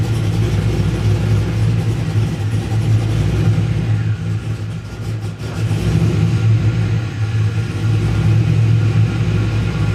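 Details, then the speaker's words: LS1 V8 just after a camshaft swap runs rough and uneven, rising and sagging instead of holding idle. The owner feared the cam was 180° out, but the cause was the intake boot, the one part not double-checked; refitting it fixed the running. "uhoh H well that is funky dude so double and triple checked everything except for the boot at the intake"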